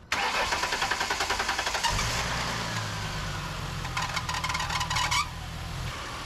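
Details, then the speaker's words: 2007 Ford Mustang after alternator and serpentine belt replacement, negative battery cable removed to test: starter churns about two seconds, engine catches cleanly and keeps a smooth, even idle; alternator fixed. "Nice. All right, nice, and she's going again."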